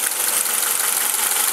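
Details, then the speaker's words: 1990 Honda Accord idling, running warm while waiting for fans: busy, high-pitched valve ticking likely needing valve lash adjustment, plus a lower noise suspected as a vacuum leak or PCV valve. "I do hear sort of like a a a valve ticking too um like a a lower you probably hear it kind of a sounds like a vacuum leak"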